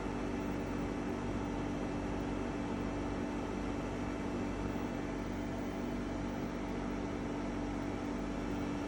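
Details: EcoFlow WAVE running: steady loud hum with strong drone near 250 Hz, unpleasant, abnormally loud, cause undetermined.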